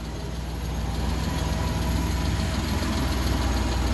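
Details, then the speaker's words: Suzuki Multicab F6A three-cylinder petrol engine at a steady, even idle with no misses, knocks or surging after repair; shorted fuel pump had blown the ignition coil fuse, pump replaced, now running normally. "So ayan umaandar na. Ah try nating rebolusyon."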